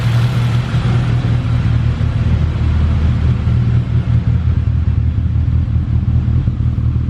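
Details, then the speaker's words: K20-swapped Integra Type R with new turbo manifold, locked in high cam so it starts reluctantly and drives poorly below 3,000–4,000 rpm: deep, heavy idle with an uneven loping rise and fall in the exhaust beat; lopey idle from cam locked on high-cam lobe. "It's got like almost like a lope to it."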